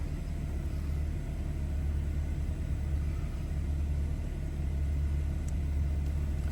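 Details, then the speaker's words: Warm BMW F30 (coolant about 80-90°) during the onboard engine oil level measurement: the engine revs up slightly into a smooth, steady raised idle rumble with no knocks or misses; normal, and the oil level reads at max. "And now it's going to start measuring. So that may take a little while. And also you will hear the engine rev up a little bit while it's doing it."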